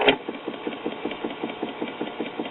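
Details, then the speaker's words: 1959 Spear-Tone tube kiddie record player in neutral: a steady rapid rattling buzz carried into the motor board, likely because no rubber grommets isolate the motor from the mechanism and motor board. "I think one reason why this is as noisy as it is is because there's no rubber grommets to isolate the motor from the rest of the mechanism and the motor board"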